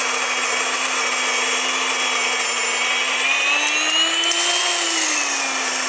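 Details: Wondermill electric grain mill grinding grain normally: loud, steady high-pitched motor whine like a small jet; a high-pitched squeal signals the hopper is empty and the mill should be turned off.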